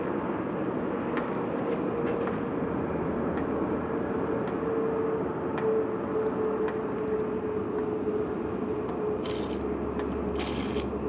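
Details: Citroen Xantia X1: faint whirring tone over a steady engine rumble from a worn clutch release bearing.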